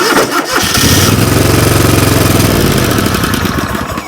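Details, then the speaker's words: John Deere LX188 riding mower cranks with a few clicks, catches briefly in a rough pulsing run, then sags; owner suspects starter sticking internally, though the new starter did not solve the starting problem. "we're starting but we're having uh like issues see hear it clicking the starter sticking pretty much it's internally sticking"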